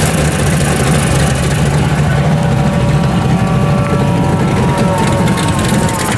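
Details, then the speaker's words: V8 in the '74 with cheap home-made baffles of steel wool and washers in the header collectors, compared with the much louder exhaust the day before; deep even burble, no rasp, revved a little; normal V8 idle with baffled exhaust. "Well, that's tolerable right there. You can tolerate that. Ramp it up a little. Sounds good. Actually sounds good."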